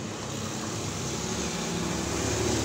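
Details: Sanyo Aqua series twin-tub washing machine, customer complained it was noisy while washing; after cleaning the dirt-clogged dryer section, the spin dryer gives a steady even whirr building slightly as the drum spins up, no knocking, scraping or rattle: normal spin dryer operation.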